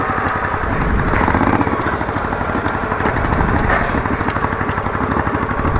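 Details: Yamaha Virago XV920 café racer project, an unexplained clicking also heard: uneven, lumpy V-twin running with irregular sharp pops between firing beats; backfiring, likely from unsynced carburetors.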